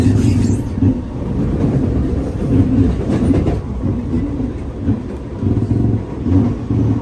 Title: [Strange creaking noises] SMRT EWL R151 Set 827/828 Queenstown to Redhill